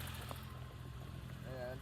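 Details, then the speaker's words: BMW E30 325i M20 engine just after valve clearance adjustment and a valve cover gasket change, warming up: low, uneven, lumpy idle running too slow. The owner plans to raise the idle speed. "Okay, let's start it up and tune our idle-ini. Alright, now as it warms up, you're going to hear the lumpy idle."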